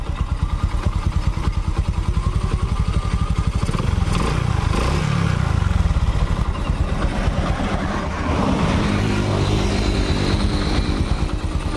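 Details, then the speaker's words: Honda Supra X 125 motorcycle after engine repair, idling smooth and soft with even, quick firing pulses, no knocks or rattles; healthy idle. Electric starter and dynamo still faulty, but the engine runs smoothly before the performance test ride. "hai loh mesinnya sudah halus lembut mesinnya ya"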